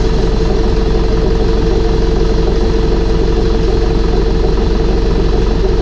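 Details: Air-cooled Deutz diesel idling after reassembly with new fuel pump, new head gaskets, heads torqued, intake and exhaust refitted; owner unsure a fitting leak is fixed. Even, steady idle, regular firing pulses, no knock or misfire: healthy running.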